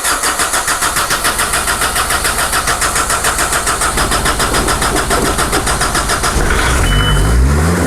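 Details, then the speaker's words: Mazda Bongo diesel, which has a starting issue and needed easy-start spray earlier that day, starts on the button: brief regular cranking, catches at once and settles into an even idle, no smoke; a normal warm start. "On the button, no problems whatsoever on there. No cloud of smoke, no police going past."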